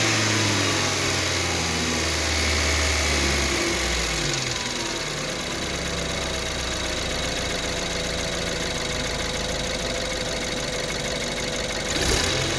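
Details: 2014 BMW 328i with the N20 engine, built 06/14, cold start, idle and revs: a busy, even metallic ticking over the idle that rises with revs. Timing chain noise is suspected.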